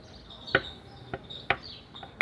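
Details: Renault Logan 1.0 with a sewing-machine-like engine noise, valves also needing adjustment; engine stopped, sump off: sharp metallic clacks about every half second as the connecting rod is rocked by hand; excessive rod bearing play.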